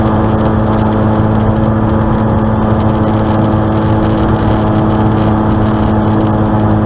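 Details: Aircraft N735D after spider replacement, engine at idle at altitude, on approach and over the runway: loud steady drone with a constant low hum; abnormal noise, cause unconfirmed.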